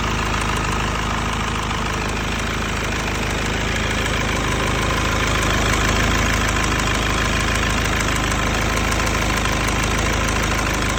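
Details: Mercedes C220 W204 OM646 diesel, DPF removed and EGR disabled, vacuum pump, fuel pressure regulators, filters, pulleys and belt replaced: once warm, irregular light ticking at idle over the clatter, noticeable; cause unknown.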